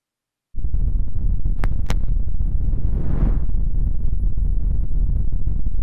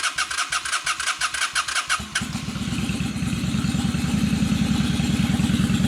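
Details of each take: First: 2003 Honda Shadow Spirit VT750 on non-ethanol fuel, before its yearly carb cleaning. Deep, lumpy idle with widely spaced, uneven beats; it runs on one cylinder, a long-standing problem the owner blames on the carbs. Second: 2003 Honda Shadow Spirit VT750 V-twin, previously running on one cylinder, after carburetor cleaning: starter cranks a couple of seconds, then catches and settles into an even, steady idle with no misses.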